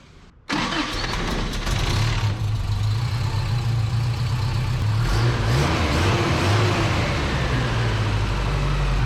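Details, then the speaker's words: Toyota engine with valve rattle, after valve lash adjustment (one very loose valve; two others adjusted about half a thou), coil wire reconnected: starts at once, steady even idle, no valvetrain ticking, much quieter. "It was dang sure that uh that one real loose one. Woo! She's way quieter. Holy cow."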